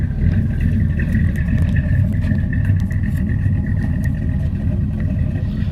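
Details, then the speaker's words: Old rusty truck on a cold start in a Central Florida January: deep, choppy, uneven loping idle. This comes from a cheap Summit cam plus closed-chamber heads that raised the compression. "the cheapo summit cam got a little funk to it but the only reason it sounds like that is because I put them close chamber heads on this thing"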